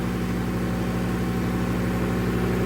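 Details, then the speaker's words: High school emergency backup generator during a simulated utility power outage, at 60.1 Hz, life safety transfer switch drawing 22 amps of a possible 72; steady, deep drone with even throb and constant speed; normal running under load. "It is pretty noisy. Obviously, the generator is running. You can clearly hear that."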